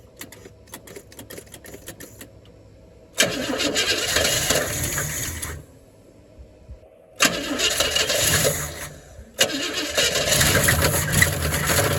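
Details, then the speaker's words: 1978 Pontiac Catalina engine run with belts off: cranks and runs in short bursts with a rough, deep knock said to grow louder with throttle. Engine knock, owner suspects a connecting rod or bearing. "something the noise will get louder as you get a throttle usually hear that that's either a stunned bearing a certain thing or something in the Valley Stream I think it's connecting rod though"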